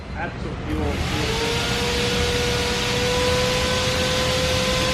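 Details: Honda Civic Si with a freshly built K20A engine, new exhaust and modified wiring harness, laptop logging data: even, steady idle with a smooth hum and a faint constant whine on top, no knocks or misses; normal idle.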